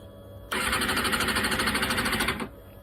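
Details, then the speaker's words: Kawasaki Ninja ZX-6R: engine catches, runs ragged and uneven about two seconds then dies; bogging after start, owner determined fuel pump assembly is at fault. "Okay, I determined it is the fuel pump because I can get it started, but it wants to bog."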